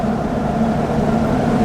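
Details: Diesel pickup after a boost leak at a clamp was fixed, driven in third gear under load on back roads: a steady, deep, smooth drone with no hiss or whoosh of escaping boost, normal turbo boost.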